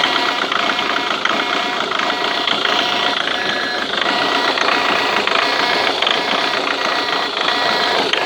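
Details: Ford Mondeo Mk3 TDCi diesel at idle: hard clatter with a sharp repeating tick or knock; owner unsure what the strange noise is, heard from the injector area.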